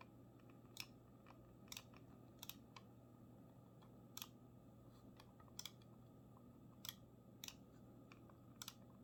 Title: Razer Viper Ultimate creaking sound - RMA again